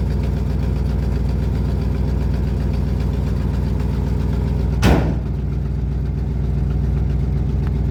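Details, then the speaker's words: 1972 Ford F250 truck with no gas pedal: uneven, loping idle with irregular chuffing at about four beats a second; it is barely getting any gas, and a clog is suspected. "That's why I said it's just a parts carburetor, you know, I don't want this kind of stuff. barely getting any gas, like just a."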